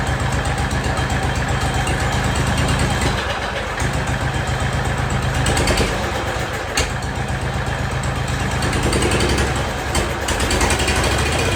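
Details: Jacobsen Chief 1200 tractor, cast-iron Kohler 301 single with a Chinese carburetor, after sitting 3 years, carb adjusted: a steady, even slow-idle thump with no stumble or miss, no smoke; normal idle.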